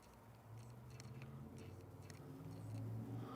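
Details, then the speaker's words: F-mount 20mm lens adapted via FTZ adapter on Nikon Z6/Z7: faint brief whirs and soft clicks as focus moves, still makes some noise but quietest of tested lenses; normal quiet autofocus. "still makes noise it still makes noise but I think it's the quietest of all of them"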